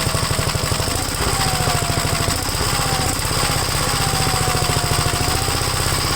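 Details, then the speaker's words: Second Gravely project's single-cylinder engine on a restart after installing the gas tank and tightening the throttle rod: steady, even thumping with no misses or surging. WD-40 and two-stroke mix were put in the spark plug hole. Normal running. "all right let me start it up again and see how it is yeah I think I got the throttle Rod tight enough yeah that was my bad on that one"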